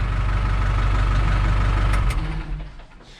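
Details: New Holland TS100 tractor after a fuel filter change, fuel pump cycled to build pressure: steady low diesel chug at an even beat for a couple of seconds, then it fades; the engine had started and then died after about a minute.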